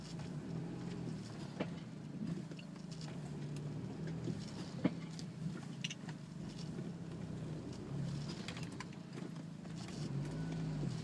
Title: Audi A4 B6 bad wheel bearing